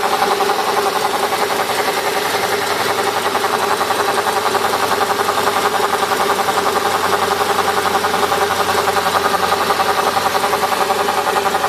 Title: CLK 500 buzzing sound